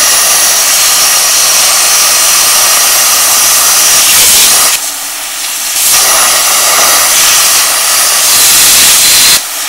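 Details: A 40 amp plasma cutter at 15 amps and 40 psi on 1.5 mm plate gives a steady harsh hiss that drops out briefly twice; it cuts slowly and not completely through but keeps the shape; normal cutting.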